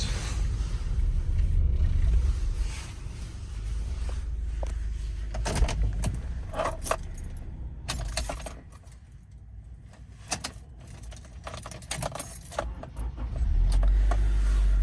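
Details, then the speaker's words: 1997–2001 Honda CR-V, 238,000 miles, hot restart with gauge reading hot after new sensors fixed a no-start: keys rattle, engine catches quickly, settles into steady low idle; problem believed fixed. "there it is so I believe the problem is fixed"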